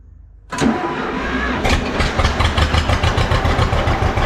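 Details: John Deere B tractor, start attempt after checking the float: catches after a short crank and settles into a slow, even two-cylinder putt-putt with a few blips; running properly at idle.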